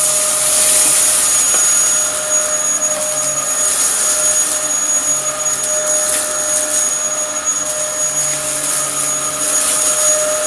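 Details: Likely the Dyson DC07 upright from a neighbour, mint apart from dirt but with a broken chassis, running: steady, even motor whine with a high airy rush, no pitch wobble or rattle. Running normally.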